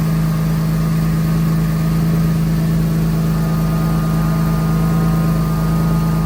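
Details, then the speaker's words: Mercedes M104 six-cylinder just after replacing misfiring ignition coils with updated coils (part A000-158-70-03), covers temporarily set back in place; steady even idle, firm low hum, no stumbles or skips from the exhaust; running smooth, misfire fixed, normal idle. "Perfect. All right. Running nice, smooth. No misfires coming out the back end."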